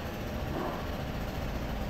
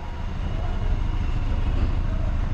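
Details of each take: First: Toyota Rush 2020, earlier misfiring and shaking with a knock from inside the engine, coil and compression tested fine: after repair, a soft, steady low idle with no misses, shakes or tapping; engine healthy. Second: 2020 Toyota Rush, previously in a collision, exhaust heard at idle: deep rumble with uneven lumpy beat and dropped pulses, engine shaking; scanner reported misfire on cylinder number 4, ignition coil being checked.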